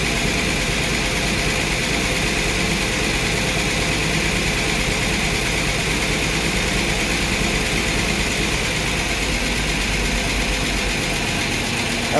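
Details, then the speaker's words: Ford inline-six in a Willys sedan delivery, first start 15 years after install, with a rebuilt carburetor and cleaned electric choke: rough steady idle with fast light ticking over it; noisy lifters still pumping up, timing not yet set. "it sounds like it's gonna run but uh lifters are kind of noisy kind of scaring me a little bit"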